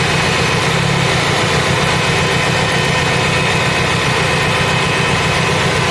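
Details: Fiat Punto idling with a shake, uneven lumpy beat stumbling every few firings. Pulling one cylinder's lead did not change the shake. A leakage tester then finds the fourth cylinder's high-voltage lead leaking, causing the misfire.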